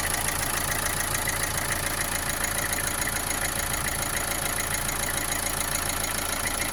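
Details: Opel Astra J 1.7 CDTI diesel after an oil change: steady idle carrying an even, rapid knock a couple of times a second with slight vibration; it runs well with no smoke, cause unclear.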